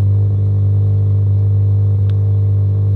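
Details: Mazda RX-7 FD rotary after fixing a non-working ignition coil, just started, coolant topped up: steady deep buzzing idle with even low drone, no stumble or skip; firing evenly on all coils.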